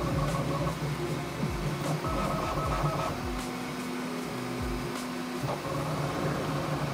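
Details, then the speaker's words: Bambu Lab P1S printing the same test cube after the firmware 1.05 noise-cancelling update: steady hum with quick rhythmic stepper buzzes and tonal runs, nothing harsh. No sound difference noticed from the update; normal printing noise. "this is the second Cube that I printed with the new update while waiting on it I didn't notice any sound difference no noise cancelling"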